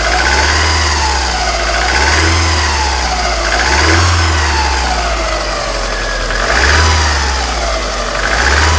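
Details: 1995 Alfa Romeo 155 2.0 TS 16V: a thin whine swells and sags with each blip of the revs over the engine note. Owner suspects bad alternator bearings; source unconfirmed.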